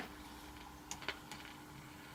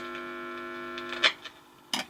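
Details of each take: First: Vintage French TSF valve radio, first power-up: rectifier valve warming toward expected 200-300 V; scattered dry crackles and pops over low steady hum, source of crackling unknown. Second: Vintage French TSF valve radio on first power-up, switched to pick-up/phono to test the audio (BF) amplifier with 50 Hz mains hum injected at the input; steady buzzy hum then clicks, amplifier works though radio bands (long/medium wave) apparently don't.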